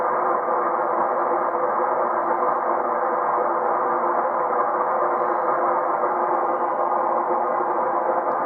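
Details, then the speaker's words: Amateur radio receiver on 30 m using an 80 m end-fed half-wave wire with FT120-43 unun: steady rushing hiss with a grinding noise every few seconds, local electrical interference; expected much quieter on the inverted vee. "right now I've got a lot of electrical interference um but as you'll see you probably won't hear it on the inverted V"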